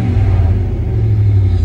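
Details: 1999 Dodge Ram 1500 5.2 L V8 after replacing suspected idle control valve for stalling and dying idle: deep, steady rumble holding an even idle without dips, hunting or stumbling; normal idle.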